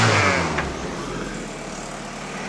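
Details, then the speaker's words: VW Caddy first start after engine revamp with new parts: engine blips up and falls cleanly back toward idle, no knocks or rattles; throttle needs adjusting but sounds great. "Yeah, sounds good. Sounds alright? Sounds great."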